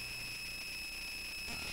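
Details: Bare Conductive Touch Board audio output: constant shrill whine at a fixed high pitch over faint hiss; noise worsened when the input power source was changed; owner suspects poor filtering, not confirmed.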